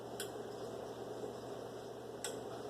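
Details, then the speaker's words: Adjustable asymmetric 30V 5A bench power supply. Two sharp clicks about two seconds apart sound over a steady low hum as the voltage is raised. This is normal relay switching between transformer winding taps. "Esse barulho que dá é uma relé, pessoal. Cada vez que muda o quê? No transformador, os enrolamentos da bobina, né?"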